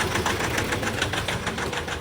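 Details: 2019 Nissan Terra diesel, automatic, idling roughly with a sharp, uneven knock about four times a second and misfire, won't rev, no pull; attributed to faulty injectors and water-contaminated fuel.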